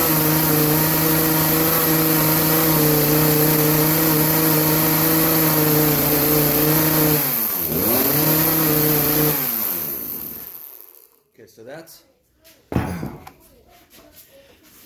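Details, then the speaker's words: Craftsman chainsaw that bogs under minimal load, warmed up before carb adjustment: it screams at high revs, sags once and won't climb further; the high-speed jet is lean and needs opening for more fuel. "it needs a high-speed jet opened up a little more so it'll get a little more fuel it's just struggling on the high end"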